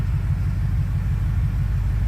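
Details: 2004 BMW 645Ci at about 700 rpm, owner unsure of a possible power steering pump issue: deep, even low rumble at a slow steady idle with no hunting or miss; normal idle.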